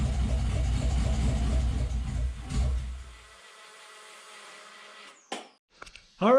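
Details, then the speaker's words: 1972 Toyota FJ40 Land Cruiser with LS 4.8L V8 swap, after repeatedly touching power to the terminal until all eight fire: fires right up, even lumpy V8 idle about three seconds, no knocks or misses; runs briefly, no coolant yet. "so success fired right up surprisingly enough it idled perfectly"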